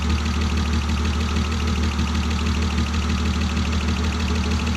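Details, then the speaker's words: Hot idle on a turbo M52 E36 running E85, after a failed lifter and lost cylinder 4 compression: steady idle with faint regular tapping; mild crankcase blow-by, owner suspects E85 boiling off after the cylinder washdown; worse than before. "yeah she's making a little crankcase pressure there's no denying that a lot of this just fuel that's boiling off E85 that's boiling off from uh when I traceably washed the cylinder down half a day but nothing crazy it's not ideal though"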